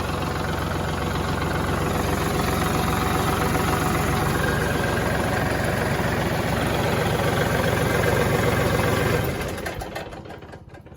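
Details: Kubota tractor that would not start despite power and intact fuses, after fixing the ignition switch wiring: even diesel clatter at a steady idle for several seconds, then shuts off cleanly; engine runs normally.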